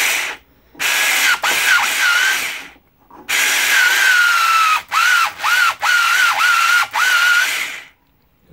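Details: Custom planetary transmission (six planets plus idler, output ring inside a wheel rim) spun at 3000 rpm; loud, steady high whine near 1.4 kHz dipping at each stop, louder than wanted but working with great torque. Gear mesh whine.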